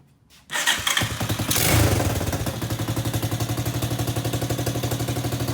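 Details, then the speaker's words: Small single-cylinder engine on a Power Wheels Ford F200 build, just fitted with a hollow slip-on Tractor Supply muffler: a quick, even putter with a loud, raw, popping exhaust note; big exhaust leak up front. "I know we have a big exhaust leak up front, so that sounds loud."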